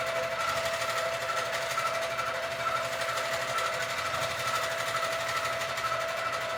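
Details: Sewing machine quilting a Christmas quilt, making a sound the owner calls not normal, cause unknown; excessive bounce also seen, something possibly too loose. Steady hum with a sharp tick about once a second, uneven rhythm. Abnormal stitching noise.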